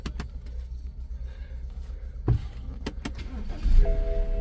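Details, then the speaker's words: BMW F10 first start right after fitting a new battery: door and key clicks, then a brisk crank and the engine catches and rises to a steady idle, starting strongly with good battery power; normal engine start. "tako da ništa, palimo auto i idemo da ga upišemo. Da vidimo prvo paljenje sa novim akumulatorom."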